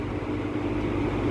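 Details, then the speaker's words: Late-1950s Sears Homart 20" box fan (model 480-9360-6, universal motor) after its loose motor wiring was fixed, running on high with the thermostat on: a smooth, steady hum over even airflow. The earlier humming, grinding buzz is gone. "that is much quieter than it was before before it just made like an awful like humming almost grinding buzzing sound"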